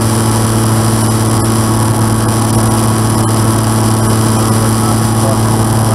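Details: N735D piston aircraft engine at idle after spider replacement, at altitude, on approach and over the runway: steady loud drone with a low uneven throb, sounding rough; abnormal idle noise, cause unclear.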